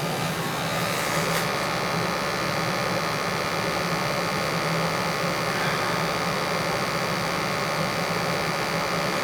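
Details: Newly installed 80+ gas furnace (replacing a 1960 unit) during a combustion check, CO reading 36–37 ppm (under 50, acceptable): soft steady rushing hum with a faint low drone, no rumble, pops or rattles; burner and blower normal.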